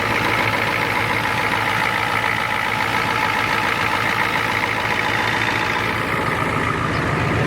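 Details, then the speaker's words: Four-wheel-drive diesel with 242,000 miles, idling just after starting without glow plugs: steady, even, unbroken clatter with no misses or heavy knocks; healthy running engine, no smoke. "I told you, it runs like a beauty compared to that Powerstroke."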